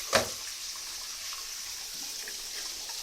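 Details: Old Grohe Grohmix thermostatic shower mixer after descaling the cartridge in vinegar and refitting, water at 38°C: smooth, even rush of water with no whistle or tone; fixed, flowing quietly.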